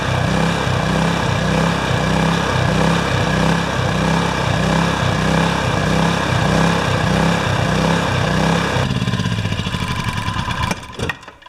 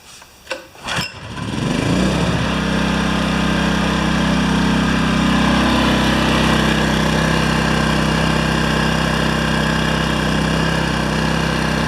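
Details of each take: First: Yamaha generator with Mikuni carburetor, test run after cleaning carb; engine pulses in a rough rhythm about four times a second for nine seconds then dies, surging from a remaining carburetor fault before reaming the jets. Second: Yamaha 1000 W generator after reaming out the carburetor jets to cure surging and fitting new gaskets: a few pulls, it catches and settles into a steady even hum with no hunting; normal healthy idle.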